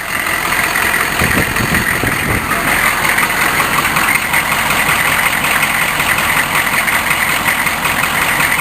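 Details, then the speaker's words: 6.5 turbo diesel after a cold crank: idles unevenly with an irregular sputter two to three beats a second under loud clatter; owner wonders about a popped gasket, cause unclear. "no it's just the air from the fan against my arm yeah something is sput sput"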